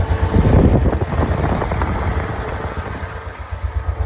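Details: Honda 500 ES ATV, about 41,000 miles and 11,000 hours, just fitted with a new adjusted carb and shift problem fixed; even, steady single-cylinder putter at idle, deep and regular with no ticking or knocking; healthy.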